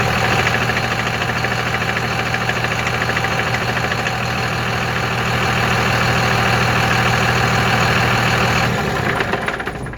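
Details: 2001 Cummins diesel with 5-speed: a harsh, fairly regular metallic rattle, about three per second over the clatter, when taking off and accelerating. Owner unsure whether it is an exhaust leak or the flywheel.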